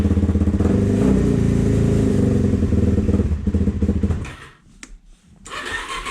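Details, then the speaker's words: 2004 Suzuki DRZ400S thumper after carb cleaning and a new fuel screw O-ring, fuel screw two turns out, warming on choke: uneven idle that hangs, sags and pops; running very lean, needing richening or a bigger pilot jet. "Sounds even worse. You hear that hanging idle and backfiring? It means it's running really lean."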